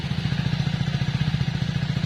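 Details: Modified Hero Splendor motorcycle idling after it stalled by itself, engine and silencer sound; fast even thudding pulse with a rough low chug; gear shift problem noted; abnormal engine noise, cause unclear.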